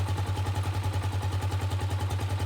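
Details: Gatoma GT150A motorcycle idling: even, steady single-cylinder thump roughly ten beats a second, no knocks or misses; healthy running, charging system reads 13.5 V and rising, so the year-old battery is suspect.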